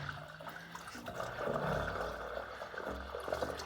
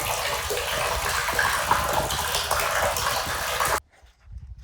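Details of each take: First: Spring-fed cabin water supply poly line after intake repair: irregular surging and gurgling as water returns with air pockets, trapped air being pushed through the supply line. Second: Spring-fed gravity water line on a coastal forest property, restored intake and pipe after disrepair: steady rushing gush of water pouring into the holding tank for several seconds, then cutting off; line flowing freely, water still a little dirty.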